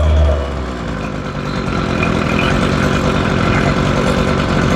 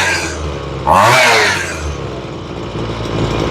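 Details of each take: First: Ryobi two-stroke weed eater, cold start after new carburetor, fuel lines and ignition switch: putters slow and slightly uneven, close to stalling; idle speed set too low, to be turned up. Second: Ryobi two-stroke weed eater after carburetor and fuel line replacement, tuning the low side at idle: crisp pickup on a throttle blip, then a steady even idle; carb sounds properly set, normal running.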